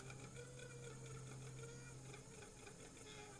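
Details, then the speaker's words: Graham Farish N-gauge Class 50 (Poole-type chassis) at crawl speed after replacing cracked axle gears, before greasing the squealing shaft. An even whirring hum with a steady low tone; the earlier lumpiness is gone and the gears mesh smoothly. "this that lumpiness has gone from the uh the cogs basically you can see how it's smoother"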